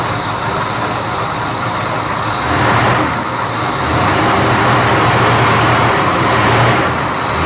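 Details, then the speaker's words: 1973 Dodge camper truck, V8 revived after sitting 25 years: even, steady low rumble at idle, quiet, no stumbles or miss, oil pressure building; running smoothly on all cylinders, normal idle. "Yeah, it runs good. It ain't missing now. It's not missing? Look at that. Wow, it's really quiet."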